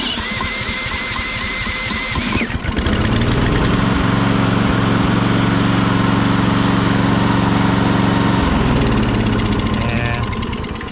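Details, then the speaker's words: Push mower with stale ethanol fuel and a suspect brake/kill contact: after cranking it catches and runs rough about six seconds, then stumbles and fades. Owner thinks it may be a little flooded; cause unclear. "i can't get it to go at all that might have been a little flooded there"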